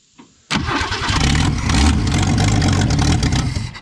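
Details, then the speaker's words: Abandoned 1966 Ford Mustang, 200 six-cylinder, first start attempt in years with gas squirted in: starter churns about three seconds but never catches; owner thinks he flooded it, and coil was found on backwards. Crank without starting. "all right i may have flooded it out there"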